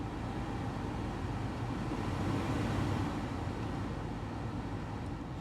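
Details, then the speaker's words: Dash blower fan after replacing the blower motor resistor with a junkyard part (before, only max speed worked): steady even rush of air with low hum, no rattle or squeal; all speeds now work, including very low. "now all my speeds are working. This works on any car. Any car you have, the resistor is what controls this, what controls your blower power."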